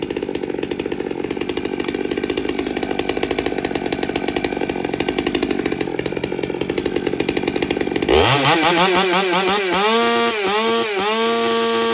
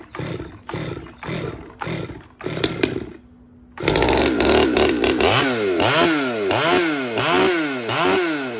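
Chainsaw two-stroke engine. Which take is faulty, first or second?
second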